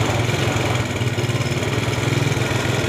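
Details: Yamaha Vega ZR motorcycle that smokes and runs noisy: rough, uneven idle with busy chattering clatter over the thump; loose cam chain, with worn, wobbly piston and bearings also named as causes.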